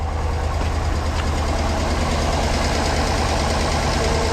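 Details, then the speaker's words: 2009 Hummer H2, called out as a crank no-start, with a dead battery and a failing alternator, running on a battery maintainer. The idle stumbles unevenly with the check-engine light flashing, showing a misfire. "Alright, the engine light's flashing, so it's misfiring."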